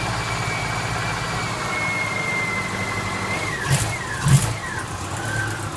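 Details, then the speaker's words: 2001 Subaru Outback engine, rebuilt with new head gaskets and machined heads, on first start after reinstallation: steady, even idle with a smooth low hum and no knocks, misses or ticks; the engine runs cleanly. "Look at that! Would you look at that? Sounds good."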